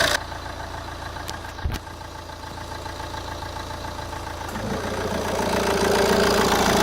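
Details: Opel Vectra C 1.9 CDTi Z19DTH diesel: smooth idle, then after AC switches on a harsher metallic rattle builds; AC compressor brand new, replaced a day earlier on suspicion of failure; source still unknown.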